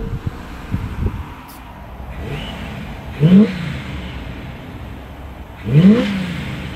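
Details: 1977 Chevrolet Caprice 5.7 (350ci) V8 after a 2-year restoration with a welded exhaust meant to cut vibration: deep, even burble swelling through two quick revs and settling back, no rattles or drone; normal, healthy V8 exhaust note.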